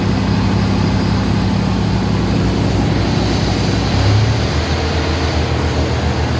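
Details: 1988 Ford F-150 XLT with the 5.0 302 V8, started after starter replacement, tune-up and retiming: smooth, even V8 idle with a deep steady rumble, no misses or knocks, faint valve-spring noise; it is running properly.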